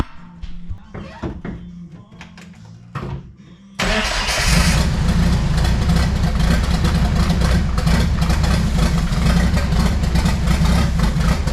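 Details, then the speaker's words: Jeep Wrangler YJ with swapped Mercedes diesel, starting: the starter turns a few times, then it catches into a heavy, steady clatter; owner suspects slight injector knock, and it smokes heavily. "today was running running decent just had that smoke issue and it sounded like I had a little injector knock"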